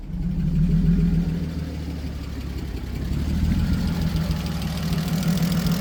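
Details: BMW E46 330ci abandoned over six years, lean code and stalling: low, uneven idle with a wavering beat and slight surging; testing a swapped MAF, cause not pinned down.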